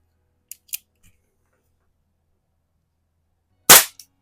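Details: Crosman 38T CO2 pellet pistol, still on its original CO2 cartridge that earlier sounded like it leaked, sat at least a week: a couple of light loading clicks then one sharp, clean shot; fires normally, gas holding.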